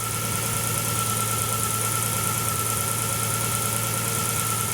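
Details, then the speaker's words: Nissan GT-R RB-powered Datsun 240Z on the dyno: steady, even idle with a thin constant chirp of belt noise from the front of the engine, judged not worrying; normal idle with slight belt noise. "yeah that's no noise the belt noise at the front not worrying that's what I'm hearing the yeah that's that's okay"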